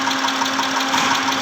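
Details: 2010 Mitsubishi Pajero, 6G74 V6, at idle: a light, evenly spaced tick about six times a second rides over the hum; engine knocking, cause unclear.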